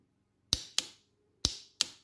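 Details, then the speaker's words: Bench test of new wiring harness for a Fiat Panda with Kawasaki ZZR 1100 engine swap, on a 12 V battery: starter relay gives sharp, crisp clicks in two pairs, pulling in cleanly each time; relay working normally. "Voilà. On l'entend bien claquer. Donc ça c'est bon, je fais tout ça propre et je monte sur la voiture."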